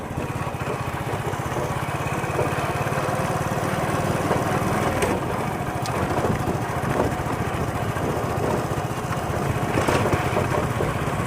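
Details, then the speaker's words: Hero Splendor Plus motorcycle at idle after primary gear replacement: steady even low putter with the previous whirring primary gear noise gone; normal. "क्योंकि जो पहले आवाज़ थी सोनू सु की जो प्राइमरी गियर की आवाज़ थी वो खत्म हो चुकी है क्योंकि नया प्राइमरी के इसमें दल दिया है अब प्राइमरी गियर की आवाज़ नहीं है इस बाइक में बिल्कुल ये सही हो चुकी है"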